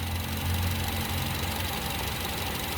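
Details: 2013 Honda City after service with valve adjustment and injector cleaning: steady, even idle with a smooth low hum and no misses or surging; engine settled and healthy.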